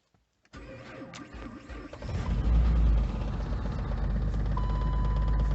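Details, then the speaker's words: Jeep cold start at -10°F: it cranks briefly, catches, then runs with an uneven stumbling misfire. It was still misfiring after about 10 minutes of running, having barely warmed up. "we go it's misfiring right now but um it's running"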